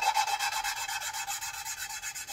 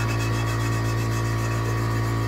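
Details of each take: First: Hand-lapping valves by manual suction-cup tool with compound on a Gen V LT4 cylinder head (2017 Corvette Z07 build): quick even back-and-forth scratching whose tone changes, softening as the valve face and seat lap smooth. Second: Hand-lapping a valve on a Gen V LT4 cylinder head (2017 Corvette Z07 build) with compound and a suction-cup tool: gritty back-and-forth rasping, about three strokes a second, seat still rough; it gets quieter and changes tone as surfaces smooth.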